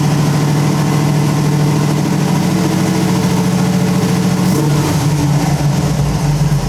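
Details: Carbureted small-block Chevy V8 in So-Cal Speed Shop Roadster after mechanical fuel pump replacement: deep, even idle with steady lope and a slight pitch dip partway through; smooth, normal idle.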